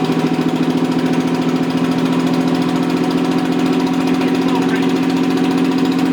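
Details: Rebuilt Toyota 7M-GE on a furniture dolly, valve seats dremeled: loping idle with a stumbling beat about three a second; pulling number three made no change though it sparks, suspected bad plug or no compression; dead cylinder.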